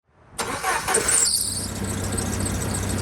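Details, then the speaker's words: Engine catching and settling to idle with a thin, high squeal from the serpentine belt riding over it, loudest just after starting; possible causes include belt wear, tension issues or pulleys. "Recognize that awful squealing noise coming from your serpentine belt? In this video, we're going to show you how to diagnose what's causing the squeal and how you can fix it."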